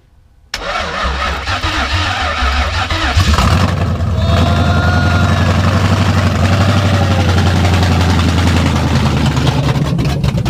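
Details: Coyote-swapped Fox body Mustang, first start: cranks, catches quickly and settles into a deep, steady V8 lope. Oil pressure climbs to about 70 psi; fuel pressure reads too high. Healthy start.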